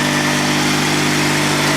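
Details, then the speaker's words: Honda GX360K1 twin-cylinder engine in a Honda 3813 lawn tractor, run after sitting a year and a fuel pump fix: smooth, even car-like hum at steady idle with no knocks, misses or rattles, a normal healthy idle. "These things are so closely related to the Honda car engines, it's no surprise that it sounds like one. Alright, so that's the sound of the GX360K1 running"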